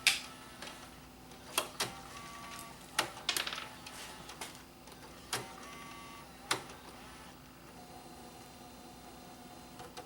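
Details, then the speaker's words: Bose music system CD changer after repair from being dropped, reassembled: quiet motor whir with sharp irregular clicks and clacks as it initializes and reads disc two; normal operation. "it's initializing okay play reading disc disc disc two"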